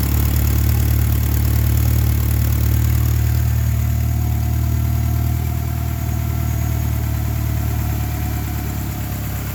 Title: 2.5 lima rough idle troubleshoot